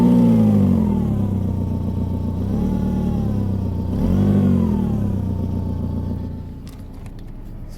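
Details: 2000 Saab 9-5 2.0t manual: engine revs up and settles with a rough, puffing edge on the exhaust note under the car, a major exhaust leak; owner also notes a loud engine whine, suspecting power steering.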